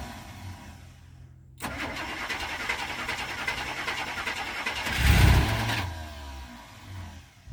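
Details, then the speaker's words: 1985 Winnebago Windsor motorhome, 454 big-block V8, 32,700 miles, unused about 17 years, fuel fed from a bottle: turns over briefly, catches cleanly, one blip, settles to smooth steady idle with oil pressure; normal start. "have oil pressure that's good that sounds like all you got to do is keep feel going in it"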